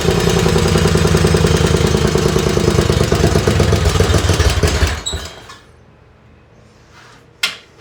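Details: Race lawn tractor on its second run, 12° outside, run hot: a very loud, harsh, rapid exhaust crackle, then it cuts out. Even with added drilled baffles, the exhaust is still too loud.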